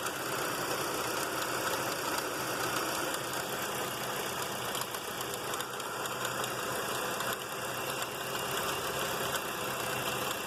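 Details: 1995 Mercury Mystique petrol engine idling with a busy, hissy rattle and faint knocking; the owner suspects the timing belt, but the cause is unconfirmed.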